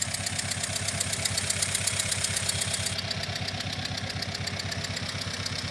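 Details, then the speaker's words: Engine at idle with a deliberately created engine-timed noise; sharp regular tick keeping time with engine speed, pinned to cylinder three via ignition-triggered scope channels; engine-timed tick from one cylinder. "in this case obviously I created a noise it was an engine time noise that uh we determined with cylinder three and you heard that at the beginning when the engine was running"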